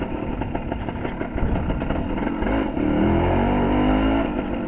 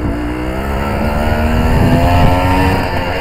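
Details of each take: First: Suzuki TS185 two-stroke road test after main jet change and needle clip moved to middle: crisp revs climb cleanly through midrange without the earlier 3-4 grand burble, road wind behind; much better, carburation close to right. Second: Suzuki TS185 two-stroke road test after main jet change: note climbs under load with uneven fluttery burble around 3-4 grand instead of a crisp rise; rider adjusting jetting and needle clip to cure it.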